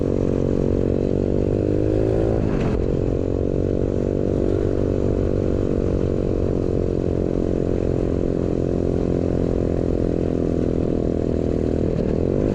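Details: New 125cc four-speed kick-start engine in a custom Pagsta chopper with a newly made exhaust, riding: small single revs up cleanly and pulls through the gears, even exhaust note with no knocks or rattles; healthy running.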